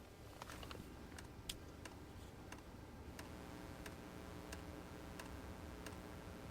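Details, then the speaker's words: Hcalory TB2 diesel heater at startup, drawing 110-113W while the glow plug heats: sharp pump ticks every half to two-thirds of a second over soft fan hiss, a bit loud at first and speeding up; normal dosing-pump clicking. "So now I can hear the pump starting to click. It is a little loud at the beginning."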